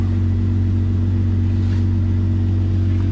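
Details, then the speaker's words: 2004 Jeep Grand Cherokee 4.0 six-cylinder after replacing a blown PCM battery fuse that caused crank-no-start; steady, even low drone with no misses, knocks or ticks; normal idle. "okay so this is great this is exciting we got this thing figured out they start is running now"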